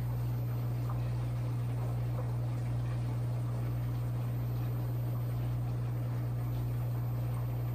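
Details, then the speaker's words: 11-year-old Kenmore Elite washer with E58 error, after repair: quiet, constant low hum with no grinding or banging as the drum spins; before, the drum did not spin. "there we go spinning because i think that last time that wasn't spinning"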